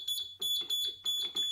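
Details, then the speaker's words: Dead mobility scooter repaired by replacing the key switch (battery fairly new): clear high-pitched beeps about three per second in a steady pattern as it powers back up; normal power-on beep. "Now we're powered. Now we're powered back up. Beep's working."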